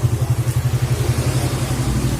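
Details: Suzuki Satria F150 after cylinder head refit, valve shim setting and tuning, idling stable at 1300 rpm. Even, steady low exhaust pulses, roughly ten a second, with no misses or knocks. Normal idle.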